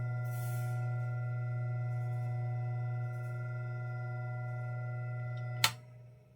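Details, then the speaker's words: Vintage ILGJET 24-inch Type Q air circulator fan, just fitted with new 6203 bearings: quiet, steady electric hum with no grinding, also at low speed, then clicks off. Normal running after bearing replacement. "Wow, that is so quiet. I'll try low speed. That is crazy quiet."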